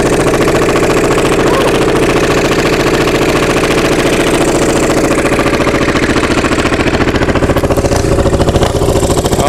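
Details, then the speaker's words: Onan MDJE two-cylinder diesel generator just started on glow plugs after about one minute, weak starter: loud chugging that stumbles and fires unevenly, not hitting on both cylinders; air suspected in fuel from the suction line in a bucket. "trying to hit on both cylinders. I think we got a little bit of air in the system."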